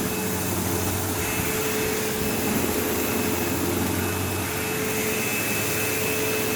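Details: Sebo Automatic X5 upright vacuuming a living room: steady motor roar with a thin high whine and buzzy rattle, occasional belt-slip-like squeal; the belt was checked, and brush roll play is suspected, unconfirmed.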